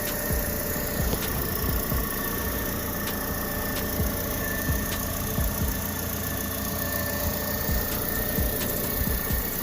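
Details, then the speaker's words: 2009 Toyota Corolla S on its first start after an engine replacement (the old engine had low compression on all cylinders): steady, even idle with a soft low hum and faint light ticks, no knock or miss; normal idle. "Hey, listen to it purr like a kitten."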